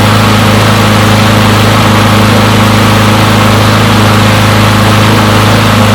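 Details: Push mower from a neighbor who said it wouldn't start; run to warm up after long disuse. Steady, even drone at constant pitch with no surging, misfires or knocks; runs pretty good; normal running.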